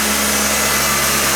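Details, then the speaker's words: 1985 Honda Accord DX, carbureted, 226,638 miles, cold start at 5°F: short steady cold idle, smooth with slight roughness; engine healthy, gearbox very stiff. "The gearbox is very stiff. But I mean, you can hear it sounds pretty good, really. Not bad."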